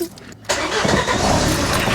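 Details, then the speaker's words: Ford Mk4 Fiesta van, first start after swapping in a used running 1.8 diesel engine, new cat and expansion tank fitted: catches quickly, settles straight into steady even diesel run, no knocks or misses; healthy start and idle. "o look out it sounds well good doesn't it"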